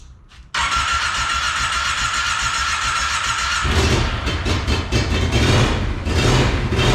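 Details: Monster golf cart build, first run after new fuel pump fitted: catches and sputters unevenly, then surges to lumpy high revs once choke turned off.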